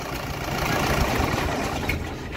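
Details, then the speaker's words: Mahindra Bolero Pickup maxi truck diesel, about 3 lakh km, after engine overhaul for oil consumption with new liners, fully warm: even, steady idle clatter, no misses or knocks, no back pressure or blow-by spatter; normal warm idle. "ਚਲ ਲਓ ਜੀ starting ਵੀ ਬਿਲਕੁਲ okay ਆ ਗਰਮ ਹੋ ਗਏ ਤੇ ਜਿਹੜੀ ਪੈਕ ਕੰਪਰੈਸ਼ਰ ਉਹ ਵੀ ਬਿਲਕੁਲ ਓਕੇ ਆ ਜੀ ਤੁਸੀਂ ਦੇਖ ਸਕਦੇ ਹ ਕੋਈ ਬੈਕ ਅਮ ਪ੍ਰੈਸ਼ਰ ਨਹੀਂ ਕੋਈ ਛਿੱਟਾ ਨਹੀਂ"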